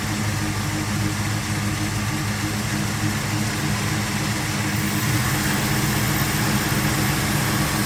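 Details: 1979 Dodge D150 Lil' Red Express with a rebuilt hydraulic-roller 360 V8 and Edelbrock VRS 650 carb, after the PCV was replaced and idle mixture reset (vacuum about 15): steady, even idle with a firm low rumble, no dips or stumbles; normal idle.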